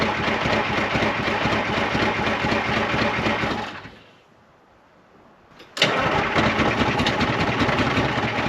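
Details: 1975 International Loadstar 1850 after blower repair, first start attempts: runs rough at about four pulses a second, cuts out, then fires back; hard starting, won't settle; idle setting unknown, fuel filters to be checked.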